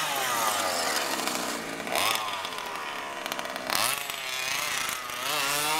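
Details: HPI Baja SS RC car with Zenoah G320 engine and V2 Dominator exhaust, rebuilt, on 91-octane ethanol-free fuel with Bel-Ray oil at 32:1; high-speed needle test: high buzzy wail climbing on each throttle blip, thin up top, slightly lean (later corrected).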